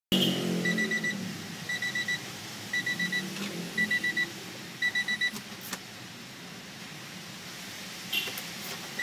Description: Irritating sound from the Acura NSX.